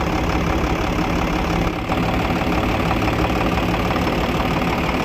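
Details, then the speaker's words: Isuzu 6BG1 diesel engine after rebuild/servicing, tappets set, running warm at idle: steady even diesel clatter, no misses or heavy knock; no back compression (blow-by) seen, normal diesel idle. "तो अभी जो है engine की आवाज़ भी check करेंगे, engine का sound. और आप देख सकते हैं बैक कंप्रेशर बिल्कुल नहीं है, तो यहाँ से चेक करें, ओके है।"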